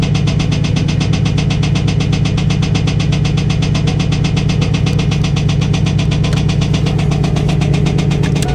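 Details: 1998 Trans Am LS1 V8 running: steady knock about four per second over the engine; owner suspects a rod bearing but is not sure.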